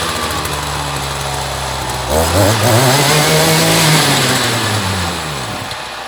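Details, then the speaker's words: Echo GT-200i string trimmer with an aftermarket carburetor, choke off. Small two-stroke buzzes, revs up and wavers, then sags away and dies; runs then stalls, owner suspects the aftermarket carb. "and it just conked right out interesting try that again"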